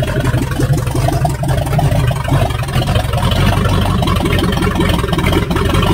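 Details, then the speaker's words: 1978 Chevy Nova V8, possibly a 305 two-barrel, abandoned for 25 years, no exhaust fitted: loud, uneven, lumpy idle with a slight shake. Runs on all cylinders, engine apparently getting hot; owner says not the carburetor or distributor, cause unconfirmed. "I don't know, it's still got a little bit of a shake, but it seems to be running on all the cylinders."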